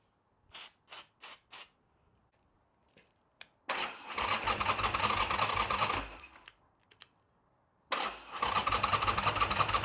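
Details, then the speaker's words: Harley Sportster build, starter churns and cranks repeatedly but never fires; starting fluid did nothing, spark appears only when cranking stops, owner suspects an ignition spark fault. "okay guys so we know the bike cranks but it's not starting I already threw some starting fluid and not luck which means we're not getting spark"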